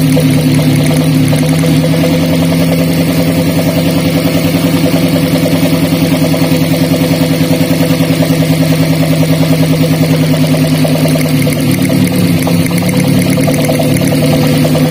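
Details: Daihatsu Gran Max with low power, coil swap test: steady idle with a lumpy, uneven pulse as one cylinder drops out; the fault moved from cylinder 4 to cylinder 3 with the coil, confirming a dead ignition coil.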